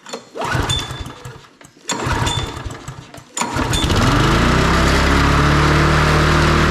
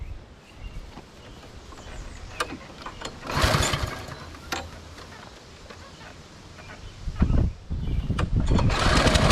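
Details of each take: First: MTD Lawn Chief push mower, Briggs & Stratton engine, started after repairing a no-spark fault, ignition coil working: a few rope pulls, then it catches and holds high steady speed without dropping back; throttle stuck open from gummy carburetor linkage. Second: MTD Lawn Chief push mower with Briggs & Stratton engine, outdoors after a no-spark diagnosis in which the coil seemed to work and it was loosely reassembled: fires and holds a steady, even drone under mowing load, running properly with good spark.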